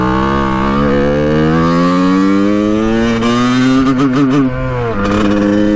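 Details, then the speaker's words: 1989 Kawasaki KX125 two-stroke, pilot jet cleaned earlier, first ride after warm-up: pitch climbs then goes ragged, chopping and thudding near the top instead of screaming cleanly; owner thinks really lean, will check power valves; cause unconfirmed. "unfortunately it uh sounds really bad in the top end when we're at the higher rpms um it just goes like boom boom boom boom boom like it's thudding like it's like it's really really lean"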